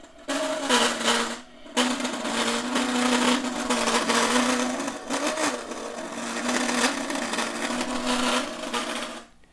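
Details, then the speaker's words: 1936 Montgomery Ward 62-315 tube radio first powered up after replacing paper capacitors and resistors: harsh buzzy rasp over a steady low hum; distorted output, possibly the speaker, not confirmed. "getting a little distortion on my speaker and I don't understand that I'm just not really sure at this point"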